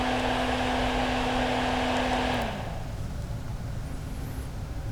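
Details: Exhaust fan that was humming, after disassembly and oiling the shaft bearing: steady even hum with clean low tone, no rattle or scrape for two seconds, then winds down; now spins more briskly, running smoothly.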